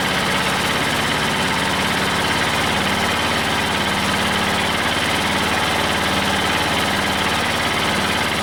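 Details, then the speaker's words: Old Detroit Diesel two-stroke four-cylinder dozer at a loping, uneven, stumbling idle, warming up after the Bon Ami cleanser trick. It sounds slightly better, but two cylinders are still dead (compression was 150/90/0/0), possibly from stuck valves. "so so it always does is when it warms up but it actually does sound a little tiny bit better"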